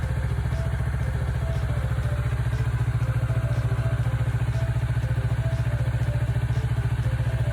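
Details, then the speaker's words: Kawasaki Ninja 400R 400cc twin, 2013-registered, started after three months unused with expired inspection, battery feared flat; steady even low throb about three and a half pulses a second, no misses or knocks; normal idle. "初めから3月初めまで3ヶ月全くエンジンかけてなかったのにちゃんとかかりました。"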